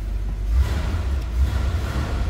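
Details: 1963 Ford Galaxie 500 convertible, 289 V8 with Cruise-O-Matic automatic, recently serviced (power steering hoses, front brake hoses): a deep, lumpy V8 rumble catches and settles into a steady, even idle with no knocks or misses. A healthy start.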